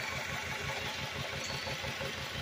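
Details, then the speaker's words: 2002 Honda Accord idling, still misfiring on cylinder four after new plugs and distributor cap, firing order checked; lumpy low pulse stumbling every few beats with clicking, ignition and injectors reportedly eliminated. "Okay so still misfiring on cylinder four here"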